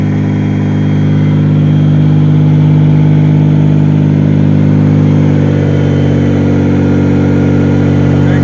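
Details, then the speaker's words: Mazda Millenia / Xedos 9 supercharged V6, 220 hp, after repairing a knock from spun rod bearings, muffler off: loud, steady unsilenced idle with an even low drone, no rhythmic knocking; normal idle. "завёл ура пока всё хорошо глушитель не прикручивать"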